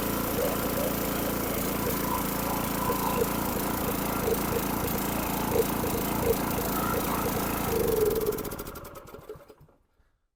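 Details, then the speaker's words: Briggs & Stratton 6.5HP engine on water transfer pump after carburetor removal and clean, new jet and air filter, run briefly without water; runs smooth and even then winds down cleanly, normal running. "there you go he's all ready to pump water now"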